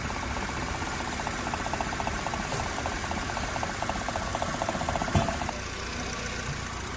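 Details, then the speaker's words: Car engine after injectors cleaned chemically and codes cleared: steady, even idle with a light regular injector tick and no stumble or misfire; it had run choked and jerky before. "tinni ishlab qoldi. Boya tiqilib siltab ishlatgan edi. Tinni ishlab qoldi."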